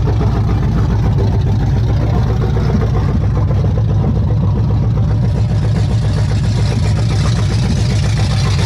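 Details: Chevy C10 truck with a freshly installed ZZ4 350 crate V8, first run: loud, deep, steady idle with an even low rumble and no knocks or ticks; normal idle.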